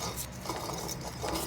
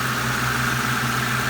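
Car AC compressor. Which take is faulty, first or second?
first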